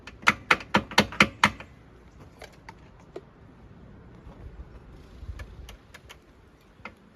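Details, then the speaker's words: Yamaha Phazer snowmobile starting for the season: quick burst of sharp dry clicks at the starter, then faint ticks, engine doesn't crank; owner suspects bad starter solenoid. "That sounds like it's clicking at the solenoid. Maybe I got the bad solenoid."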